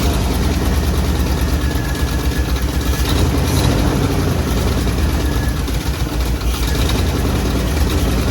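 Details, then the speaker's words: 1957 Chevy Bel Air, 350 Chevy crate V8 with new Edelbrock intake and Quadrajet, idling and revved. It gives a loud, lumpy V8 rumble that picks up cleanly and settles without misses or knocks, so it is running healthy. "yeah sounds good all right let's shut her down sounds good woo well the 57 runs and that's a success in my book"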